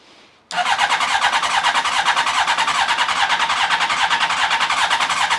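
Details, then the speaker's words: Honda CBR1100XX Blackbird, first start after an engine replacement, using a known-good battery borrowed from a Yamaha Tenere: it catches after a brief crank into a steady, even idle. Smoke from the exhaust, which the owner thinks is just grease. "Oh my god, we have a running bike. Got a bit of smoke in places."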